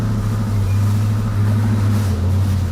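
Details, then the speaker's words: 1986 Ford Mustang EEC-IV, originally a no-start, timing not yet set, watched on scope: deep, lumpy idle with uneven beat and occasional stumbles; intermittent misfire returned, cause unknown, distributor housing grounding being considered. "my misfire's back my misfire's back i i can't think about that just yet it's back"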